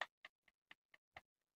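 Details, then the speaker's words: Honda Vario 150 connecting rod rocked by hand during engine teardown: six light, sharp clicks about four a second; normal play, as new rods also click with this check. "ya ada bunyi mas, semua baru bunyi. Kalau ngeceknya seperti ini stang piston baru juga bunyi mas."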